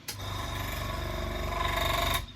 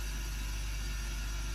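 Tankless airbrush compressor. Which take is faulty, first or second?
first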